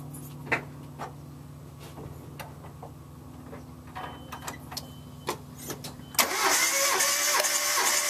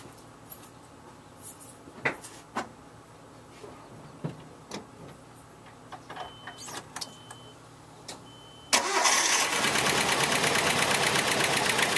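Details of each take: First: Engine that knocks at idle, cranking with a compression gauge on cylinder one: even, steady cranking at about four beats a second, reading 180 psi, then it catches and fires. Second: all right so you can hear how rough that sounded um and it'll hold idle just really bad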